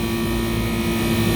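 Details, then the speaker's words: Rooftop kitchen packaged AC unit, running after refrigerant leak repair on the first-stage circuit, pressures fine in 110° heat: loud steady compressor hum with even fan rush, no knocks or rattles; normal running, these compressors just run loud. "outside running good these compressors just run loud"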